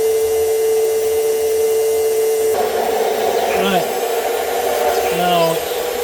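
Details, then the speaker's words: Pump emptying one of 22 gravity-linked rainwater barrels. The steady hum turns rough and sputtery as the barrel nears empty and the pump starts drawing air and running dry; a float switch or timer could prevent this. "Right, coming towards the almost empty now. You can hear the pump changing sound."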